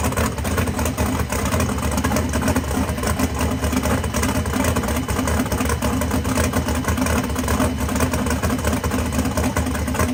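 Big V8 idles loud and lumpy but steady, no knocks or misses standing out over the rumble; sounds healthy.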